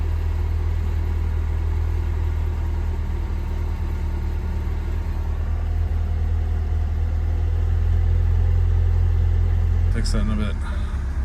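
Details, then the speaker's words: Honda Civic first run after engine work: a low, steady, even idle hum with no misses, knocks or ticks, and no check engine light. A small coolant leak at the intake manifold fitting drips onto the exhaust, so the run is kept short. "So, we are I'm calling it. I think that's a good decent first run. No check engine light."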